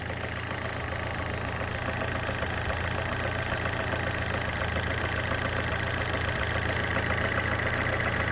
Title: Fiat punto mk1 cabrio S 1996 engine knocking noise